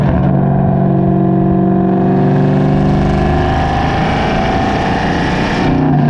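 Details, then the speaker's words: Cammed SN95/New Edge Mustang GT V8 after fitting an IAC restrictor plate, GoPro on rear bumper while driving; revs rise then fall back cleanly after the shift without hanging; normal return to idle. "it accomplished the goal the hanging rpm is no longer there and that is why we got it"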